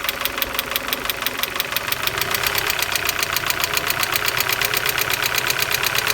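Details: Opel X20XEV engine: a sharp, fast metallic ticking, roughly two to three per second, sits clearly over a quiet idle. The knock is heard cold and hot; cause not yet traced.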